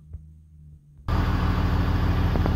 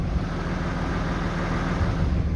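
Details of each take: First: 2007 Dodge with 6.7L Cummins diesel, started after sitting about 45 minutes: steady idle clatter, then thin high squeal about a second when exhaust brake activated. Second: 2007 Dodge with 6.7L Cummins diesel, after fix of squeal when exhaust brake activated and a test drive: steady deep idle with even low rumble, no squeal or whistle; repaired.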